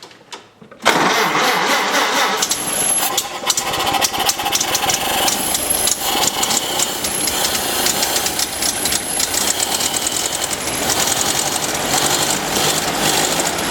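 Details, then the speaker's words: Ford Model A old engine, carburetor not rebuilt, running on a bare chassis without body during restoration: cranks and catches at once, then a steady loose idle with light mechanical clatter. Normal start and idle. "I'm really pleased the old engine is doing as well I haven't rebuilt the carburetor but I think we'll get we'll get some good service out of this old engine even even as it is"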